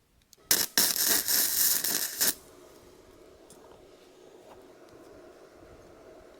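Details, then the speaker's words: Bestarc entry-level gasless flux-core MIG welder cranked to its maximum 135 amps: about two seconds of loud, harsh crackling and sizzling as the arc burns very hot. "Ooh, that is burning in hot."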